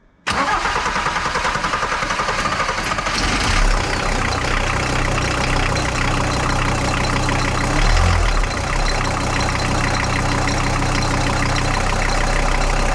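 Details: VW T4 AAB diesel van, 4,600 km after a major overhaul: engine catches and settles into a steady idle with a light whirring chatter over the clatter; owner suspects a worn belt idler pulley with lost grease and slack; belt area noise at idle.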